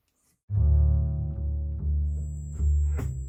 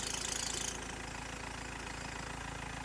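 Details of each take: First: BMW 2.0L M47 diesel after auxiliary drive belt and tensioner replacement for squeal: cranks, catches, settles into even idle with no squeak or belt flapping; music throughout; normal idle. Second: BMW 320d E90 with 2.0 M47 diesel at idle. A high belt squeal stops abruptly once WD40 is sprayed on the auxiliary drive belt, leaving a plain knocking idle; spraying the power steering belt made no difference. Auxiliary belt slip confirmed; cause of slip still unknown.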